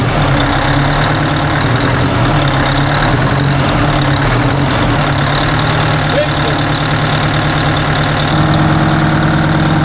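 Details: 1980 Peterbilt 359 diesel idling after sitting; a stuck fuel rack was freed because fuel had turned to goo. Steady, even idle with a firm regular beat and no knocks or misses; the engine sounds healthy.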